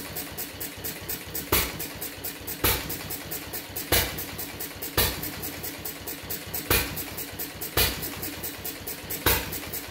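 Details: Fuller and Johnson hit-and-miss engine on first run after cleanup, battery and 6-volt coil box, started with a little choke: sharp bang about once a second, coasting ticks, wandering firing spacing; owner suspects loading up rich, plans checking mixer and RPM.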